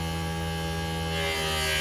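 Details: Hyster H360 electric cab-tilt hydraulic pump, tipping the cab with the door shut. Steady electric whir with a low hum that firms up and gets slightly louder as the pump loads up; normal hydraulic pump operation.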